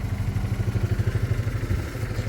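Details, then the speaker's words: Fiat 500 TwinAir two-cylinder at cold start, out of gear: lumpy, tractor-like beat at a fast cold idle, about ten pulses a second; normal, with revs said to drop and quieten after about a minute as oil circulates. "right sounds like a tractor sounds like a tractor to start"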